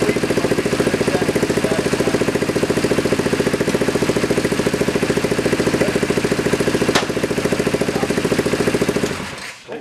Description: Here's the first start on our test frame of a freshly rebuilt 1973 Kawasaki Z1 900.